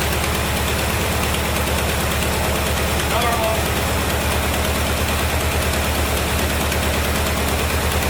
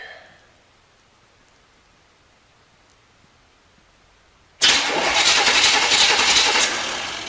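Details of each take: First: 1973 Chevrolet Corvette C3 revival, run after a shot of gas down the carburetor, wheels not turning: steady low rumble with even firing pulses, no knocking or stumbling; a little smoky; normal idle. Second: Non-running 1973 Corvette C3 bought on eBay, cranked to check ignition through a too-short plug wire: the starter turns steadily for about three seconds but the engine never catches. Only a very weak spark jumps the large gap; crank, no start.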